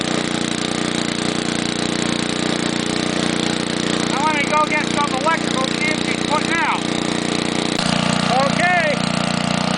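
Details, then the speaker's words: Homelite generator built in the 1950s or 60s, restarted after sitting far too long: the small engine holds a smooth, constant, loud drone with no surging, knocking or stumbling; running healthy and steady. "it's loud as hell but it'll keep your lights on and it'll keep your bridge cold"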